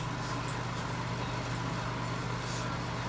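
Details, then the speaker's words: Heat Surge X5C portable electric fireplace heater fan on high, after rattling at startup, a suspected common fan failure: now an even, steady fan rush with a low hum, no rattling or ticking; fan running normally, blowing warm air. "um but did did you hear the rattling at the first it went like that and we have also a temperature thing that's what the fan was doing but now it's actually working"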